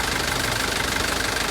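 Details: Mitsubishi Canter diesel truck, idling before fully warm: a steady rapid ticking over a hissy background, the tick fading when revs rise; engine knock, suspected valve clearance out of adjustment, hissing source unknown.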